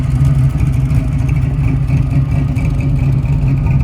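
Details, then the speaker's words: 1966 Chevy Nova (Chevy II) with built small-block V8 and 4-speed manual, idling outside: deep lumpy idle with faint quick puffing ticks from a small exhaust leak, probably a header (collector) gasket; suspected, not confirmed. "Other than that, you can hear that little pesky exhaust leak there. Probably a clutter gasket."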